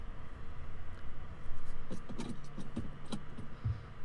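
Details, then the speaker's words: 2008 BMW X5 E70 4.8i, driving after one left front lower control arm replaced: dull knocks over small bumps, squeaks over larger ones; owner suspects front strut mount bushing, not confirmed; suspension knock. "やっぱり小さな段差を越えると懇々という音そして大きめのダンサーを超えるとキーキーということがします"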